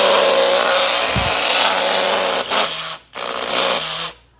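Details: Taiff hair dryer roars with a rough, buzzing rattle over the airflow; it also jams and smells burnt, from a worn motor bushing.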